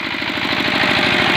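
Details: Engine whine at high rpm: fast, even firing with a hissing high whine that is not heard at idle and appears as revs rise; owner suspects a crankshaft bearing on the flywheel side, or possibly another bearing or gear.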